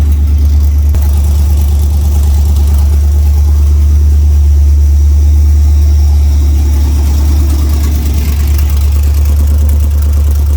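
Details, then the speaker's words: LS-swapped OBS truck V8, cold, before warm-up, after a spark plug check for a first-start misfire: steady fast-idle rumble, about three pulses a second, no stumbles. Idling a lot better; normal cold idle. "all right I'll wait till it warms up and we'll see how it sounds then seems to be running a lot better idling a lot better"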